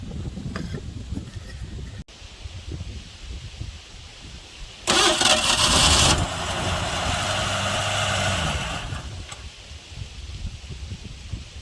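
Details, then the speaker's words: 1984 Ford F150 5.8L 351 HO, first start in 20+ years after a timing chain job and freeing a sticky valve, running on fuel poured into the carb with the rear primaries stuck: it catches with a burst of revs, runs rough, then dies. Idle circuits are suspected and the carb needs a rebuild. "Well, it ran. We'll give it another little shot of fuel, fill that bowl back up. I think we got a, it doesn't really want to idle. I think the idle circuits are toast."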